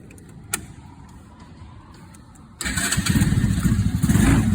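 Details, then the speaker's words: Mini Jeep aircraft tug, 1.5 years in service, first start of the day at about 65 °F, overcast, no choke: quiet lead-in, engine catches immediately and settles into an even idle without stumbling; normal cold start. "So this thing just cranks up, no choke. It's about 65 degrees outside today, overcast."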